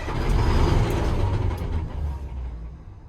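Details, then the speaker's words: M1085A1 5-ton military truck diesel, batteries at 23 volts, intake air heater on: strong cranking about three and a half turns a second, slowing slightly, never fires; fuel rail not yet pressurized, air in fuel system suspected. "It's cranking good now. Let's crank on it some more. See if we can get that fuel rail pressurized."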